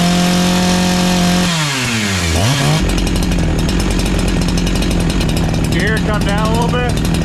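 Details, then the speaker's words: NEO-TEC NH872 71cc chainsaw (Husqvarna 372 XP clone), 28 in bar, after turning idle screw down slightly: fast idle dips then settles still a little high, chain no longer moving; left there for fear of stalling. "sounds a little bit better all right it's still sounds a little bit High I think it come down a little bit but I'm afraid to stall it out so I'm okay with that"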